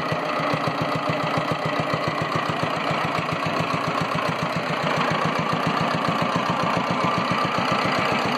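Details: Single-cylinder air-cooled Petter diesel on a homemade mini dumper, sitting about 10 years and revived after freeing the injection pump and the stuck injector needle. Steady, even diesel clatter at a constant beat with no misses or stumbles. Running healthily.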